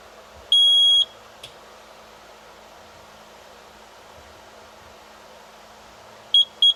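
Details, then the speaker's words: Bobcat T300 skid steer with a new battery reading 12.5 volts: a half-second high beep, quiet hum, then three quick beeps; warning from a fault traced to the fuel solenoid on the injection pump. "I got her fixed. It ended up being the fuel solenoid on the injection pump right here."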